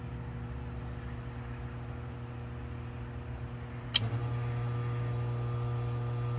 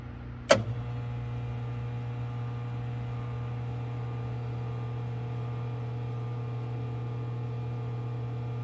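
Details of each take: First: 2015 Frymaster FPEL314CA 208 V three-phase electric fryer after replacing the stuck heat contactor: steady low hum, one sharp contactor click, then an even hum as it cycles normally and the temperature rises. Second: Frymaster FPEL314CA electric fryer (2015, 208 V three-phase) heating. A steady low hum, then a harsh electrical buzz cuts in and holds while the heat cycles. The heat contactor has a stuck coil and needs replacement.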